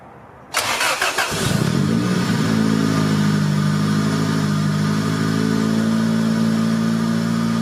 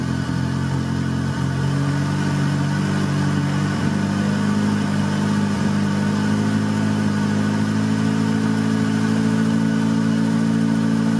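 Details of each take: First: 1990 Honda Civic B20B just after installing untuned Crower aftermarket cams and Skunk2 cam gears, warmed up after short drives: starter catch, then low, slightly lumpy, choppy idle with uneven beat; valvetrain parts rubbing the valve cover. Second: 1990 Honda Civic B20B with newly installed Crower aftermarket cams. Cold-started engine settles into a smooth, even idle with no valvetrain ticking; the earlier valve-cover-side noise is gone after loose bolts were fixed. Normal idle.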